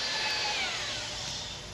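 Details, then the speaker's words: EMD locomotive cylinder liner honing, drill motor at 345–500 rpm: light free-spinning whine with hiss, no steady grinding; stones too loose against liner wall, motor spinning without strain. "soon you start hearing the drill motor spinning without any strain on it"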